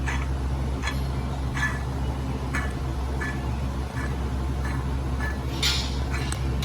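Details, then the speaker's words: Dodge Grand Caravan water pump removed, turned by hand near the microphone: rough, scratchy ticks about once a second over a low hum; failed bearing, pump also leaking from weep hole, caused belt squeal and overheating; replaced. "Anyway, the bearing's gone in it, so let's go get a new water pump."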